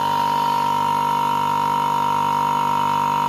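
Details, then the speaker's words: Home-built vacuum pump made from a compressor, gauge fitted, running briefly on a low battery: constant even mid-pitched drone, gauge needle dropping as it pulls vacuum, no knocks. Normal running. "On voit l'aiguille qui descend. Je peux vous dire que ça aspire, hein, écoutez."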